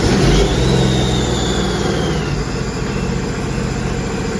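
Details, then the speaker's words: Sea-Doo RXPX 260 with the supercharger and crankcase breather reinstalled, first start after a PSFlasher ECU tune in winter: the engine catches, flares briefly, then settles to a steady, even idle as a whine eases, no stumbling and no fault codes; normal. "right, starts up. No fault codes. Revs up. Starts up, revs"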